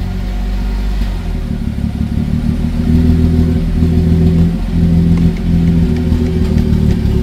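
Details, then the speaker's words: B58-swapped BMW E24 on an untuned SCS Delta standalone ECU: deep, uneven rumble that surges and sags. There is no throttle response and a clearly wrong air-fuel ratio, so the engine is running rough. "We have no throttle response and uh definitely a wrong air fuel ratio. It's not running right."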